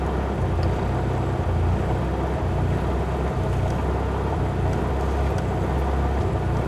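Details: Mitsubishi Lancer Evolution MR RS: a deep, uneven low idle that wavers and stumbles instead of holding a steady beat. Rough idle, cause not stated.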